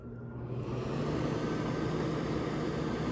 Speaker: all right fan works a little fan works